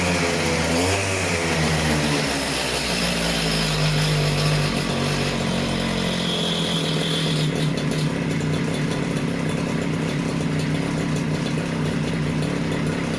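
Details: Stihl disc cutter, newly acquired, two-stroke started cold on choke; steady crisp buzz picks up cleanly when revved and holds even without stumbling, running fantastic; service with new air filter and plug still planned.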